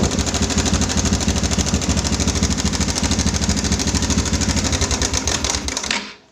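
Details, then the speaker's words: Yamaha Bison motorcycle at idle: a dry, rapid metallic clatter from the cam chain tensioner. Adjusting the tensioner quietened it only briefly before the noise returned; the tensioner is suspected faulty. "Ditunggu sebentar, dia kembali berbunyi gemericik. Oke, apakah setutnya ini yang rusak?"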